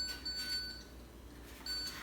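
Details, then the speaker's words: Prototype modular parking sensor/blind spot monitor: beeping speeds up as the wall gets closer, then holds a solid high-pitched tone meaning obstacle too close, stop. "you can hear it beeping faster faster and then if we get closer it will get even faster until it's a solid note that means you should stop"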